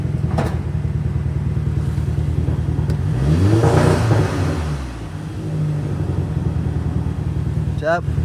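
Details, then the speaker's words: Highly modified, remapped VW Scirocco R with big intake, back on stock file: uneven stumbling exhaust beat with irregular gaps, about three lumps a second while revving, misfiring much worse; cause still unknown. "And there we are, guys. Back to the stock file. And instantly, as you can hear, she is misfiring like mad. So much worse."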